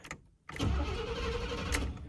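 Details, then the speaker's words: Chevy abandoned for 6 years, fitted with a new starter and battery: the starter spins the engine steadily but it never starts; the fuel pump buzzes and the fuel gauge reads empty. Cause not confirmed. "spins over why is that off okay but uh cranks over does not start fuel pump does kick on"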